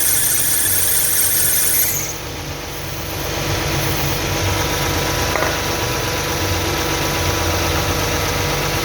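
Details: 2009 Toyota Highlander/Kluger 3.5 V6 at idle: shrill, steady squeal cuts out about two seconds after the belt is sprayed; noisy belt tensioner, tensioner and drive belt replaced; belt squeal.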